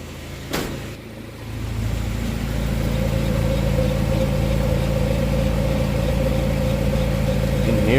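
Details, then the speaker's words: Honda Prelude SH jacked up, engine running in fourth gear with front wheels spinning: low roar and steady droning hum build and hold over the engine; worn front wheel bearing, ATTS unit also suspected (leaking). "it's gonna bring it like 2015 you can already hear it I don't know if you guys been here Warren I think it's my Wilburn"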